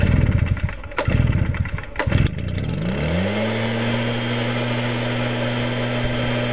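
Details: 2009 Stihl BR420 two-stroke backpack blower, started on choke with no primer (easy to flood): two pull-start rips, then it catches, climbs and settles into a steady, even idle hum. It is running smoothly.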